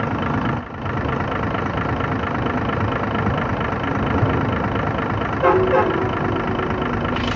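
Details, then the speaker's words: Hino 500 FM truck, 6-cylinder diesel, after fixing oil leaking from the dipstick side and topping up low oil: steady even idle with smooth low rumble, no misses or chuffing; no blow-by, normal healthy idle. "तो देख सकते हैं blow इसमें बिल्कुल नहीं है, बिल्कुल clear है, देख सकते हैं आप।"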